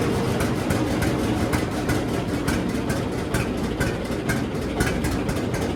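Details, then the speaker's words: John Deere D two-cylinder tractor on new Autolite plugs before regapping; uneven idle with irregular loping beats and occasional stumbles: misfire at idle, plug gap suspected. "So you can see there how it kind of ran. Not perfect, but the the D's are never known to run good or perfect at idle."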